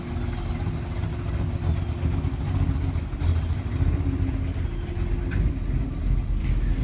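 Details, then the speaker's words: 1948 Mercury coupe V8, idling under the hood as water temperature starts to climb, oil pressure 60 psi, a little above with revs: deep, lumpy, steady rumble with no knocks or ticks. Normal warm-up idle. "And the water temperature is starting to climb, but we're still at 60 psi of oil, and with some rev it climbs a little above 60."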